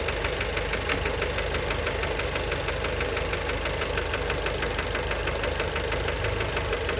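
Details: Fiat Bravo 2, 1.4 T-Jet 150 HP, 215,000 km, recently serviced, recorded close to the engine at steady idle: a hard, regular knock about once a second over the engine. Worn rod bearings knocking; cause unknown, car scrapped.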